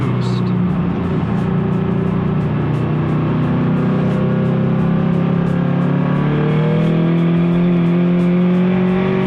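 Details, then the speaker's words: Turbo Subaru BRZ on new e-tune by Delicious Tuning, data-logging a 2,000-to-redline freeway pull on wet road: engine builds boost then stutters in rapid on-off "wah wah" surges instead of rising cleanly; traction control cutting power. "Ah, it's so squirrely. It's so difficult. Ah, could you guys hear it? It's like wah, wah, wah, wah, wah, wah, wah, wah. It wanted it, but at the same time it didn't."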